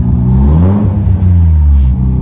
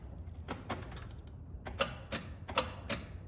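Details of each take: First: Rebuilt Mazda RX-7 FD rotary after fixing a bad MAP sensor connection, low front-rotor compression suspected: revs up and settles cleanly with an even, strong exhaust note, no single-rotor pulse; normal revving. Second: Rebuilt Mazda FD RX-7 rotary cranking with fuel pump disconnected for a gauge compression test on the second rotor: clicks, then steady cranking at about two pulses a second with no firing; three consistent pulses but seemingly lower compression than the first rotor.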